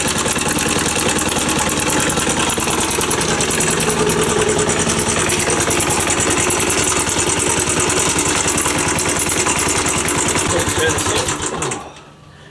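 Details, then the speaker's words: Postie bike at idle before valve clearance check: fast, fairly even thump about three beats a second with an added rattly tick on top; noise can't be located, engine or something rubbing; valve clearance suspected. "I'll bring you over so you can hear that Real's weakly Noise We can't really locate where about it is so I don't know if it's something in the engine or whether it's um maybe I don't know something moving against something"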